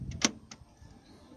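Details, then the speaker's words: 2007 Nissan Navara D40 front passenger door lock, after pushing the loose pin back in and refitting the three bolts: a quick, crisp lock click with no grinding. The actuator now works normally, and no new actuator was needed. "blah no more grinding it's great"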